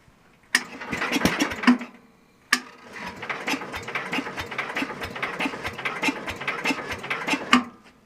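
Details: Super 12 hydro small engine, cold start after sitting, possibly never fueled; owner suspects empty tank or needs more throttle. Two bouts of steady starter churning with compression pulses, never fires: cranks but won't start, cause unconfirmed.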